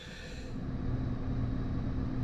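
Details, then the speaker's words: Rheem air handler blower after fix: aftermarket motor's overlong screws scraped the ring, so they were cut down; now a low, steady hum building to speed with no scraping or grinding, running smoothly and quietly. "guys so I got it back together and she's burned like a kitten now"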